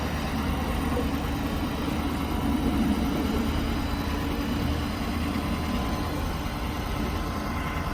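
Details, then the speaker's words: 2012 Ford F550 bucket truck, 6.7-liter diesel at low idle, PTO engaged driving hydraulic pump for ETI telescopic articulated boom: even hydraulic hum, no knocks or squeals; normal PTO-driven boom operation. "So now I'm going to have him engage the PTO, and we're going to operate the boom."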